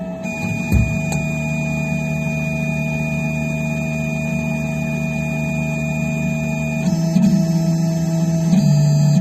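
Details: Phrozen Sonic Mini 4K resin printer during printing: steady motor hum with a couple of sharp loud pops early on, then pitch shifts as the build plate moves; loud popping, cause unknown.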